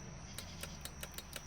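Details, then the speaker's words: 2015 Lincoln MKX with flood damage, driver door window motor with switch removed; quiet sharp ticks about five per second with no motor whirr, motor clicks but window never moves, powers and grounds yet to be checked. "And mind you, like I was telling you, the motor makes noise."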